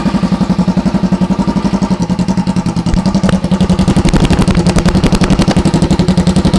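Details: 2008 Kawasaki EX250 fitted with an EX500 engine, being parted out: steady, even idle thump at about four pulses a second with no knocking, banging or tapping; motor sounds healthy.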